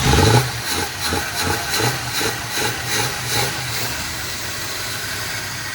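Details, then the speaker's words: 1961 Chrysler Newport V8, restarted after it ran out of gas and was refueled, with coolant added and no oil leaks seen: a low, loping idle with an even beat that grows smoother as it warms; running healthy. "that did it that se it sounds great just let it warm up a little bit"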